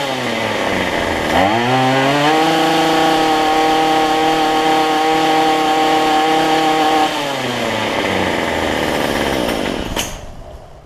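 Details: Cheap two-stroke weedeater after a $6 Chinese replacement carburetor, a different gasket between air cleaner and carb, and carb adjustment: idles, revs cleanly to a steady high whine, holds about five seconds, drops back smoothly and shuts off; runs healthy.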